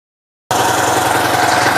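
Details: TVS Sport bike single-cylinder engine after magnet coil replacement and new gasket, previously noisy from the magnet striking: steady, even idle with no rattle or groan; healthy, noise fixed.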